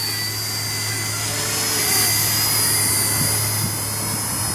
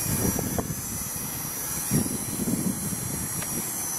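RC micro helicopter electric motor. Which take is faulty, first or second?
first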